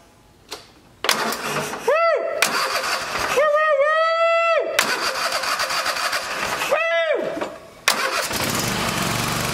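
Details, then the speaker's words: Toro TimeCutter SS4235 mower with a faulty electric parking brake system previously would do nothing on the key. After the connector was reassembled with dielectric grease, the starter whirrs in short bursts, then the engine catches and runs steady: normal cranking and start. "And we're gonna hit the key and the motor should start cranking now. Like I said, it wouldn't do this before. It wouldn't do nothing."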